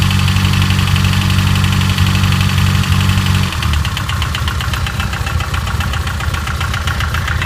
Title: S14 BMW quiet timing chain loud noise